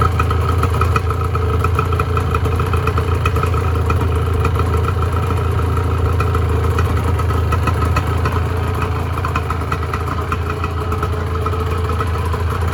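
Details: 1986 Honda NS400R 400cc two-stroke triple, first start after 11 months standing: steady, busy idle with crackly popping from the pipes, even speed, no knock or rattle; normal two-stroke idle.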